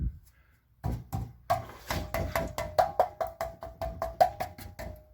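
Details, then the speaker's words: 2012 Chevy Cruze, 12 years old: tapping the rear muffler gives solid, clean knocks that die out quickly with no buzz or loose rattle; muffler good, no leaks, no rattles, catalytic converter also solid. "good Muffler no leaks no rattles"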